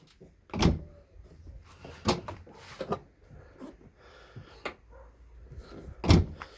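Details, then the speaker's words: Ford Fusion tailgate after its creaking hinges were lubricated with grease: opens and shuts with only soft thumps on the bump stops, no creak or squeak. "Тишина Ну просто кайф тихо-тихо все гарно отбойнички спрацьовують"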